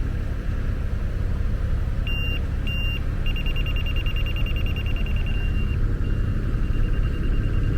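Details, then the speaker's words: Laser grade receiver on a measuring stick reading a rotating laser over low machine rumble: two short high beeps then a long steady tone. The spot is well below grade and needs to come up about 8 or 9 inches. "It'll give kind of slow beeps, beep beep beep, as you're getting closer, and then it'll beep beep beep beep beep whenever you indicate that you're where you need to be."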